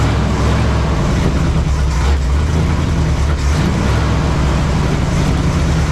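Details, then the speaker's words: 1968 Chevy Suburban, 396 big-block V8, just restarted after distributor work: loud, low idle with a slightly lumpy beat, one cylinder seemingly weak; owner suspects low compression rather than a miss, to check with vacuum gauge. Uneven running, weak cylinder. "this sounds funny, like it's got a dead cylinder. I don't think it's a miss, but like a weak cylinder, might be low on compression."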